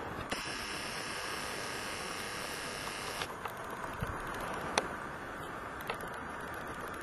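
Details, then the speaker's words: Canon PowerShot ELPH 310 HS compact camera recording video: a few sharp, isolated clicks over steady room hiss, picked up by the poorly placed microphone. "testing one two three trying to see if i can hear some clicking noises which i find very"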